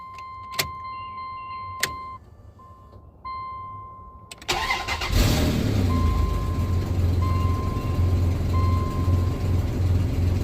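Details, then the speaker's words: 1999 Dodge Dakota after power steering pump replacement, first start after filling fluid: chime, engine cranks and settles to steady idle with no pump whine or groan; steering stiff at first then loosening as fluid cycles, normal power steering operation. "that's a little stiff see if we can get some fluid moving through it see that yep starting to get looser"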